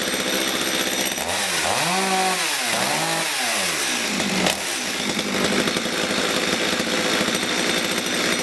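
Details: Stihl MS230 chainsaw that ran boggy at full revs and cut out at idle, after carburettor fuel mixture adjustment; revs up and down cleanly then settles to a steady even buzz with no bogging or stalling.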